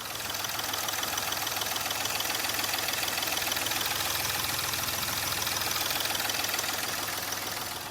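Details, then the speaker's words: Hyundai Grand i10 after an engine overhaul and reassembly, revved then idling: an even, steady idle with a light regular tick about 200 a minute, no stumble or knock; the engine runs smooth. "ठीक है जी, कितना smooth sound है गाड़ी का।"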